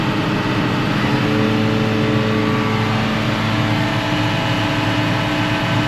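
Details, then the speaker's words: Tractor-driven mower just reassembled after repair, run for a few minutes: steady even drone, no knocks, rattles or surges; nothing getting warm, smooth healthy run. "Seems to be running nice and smooth, just the way you want it."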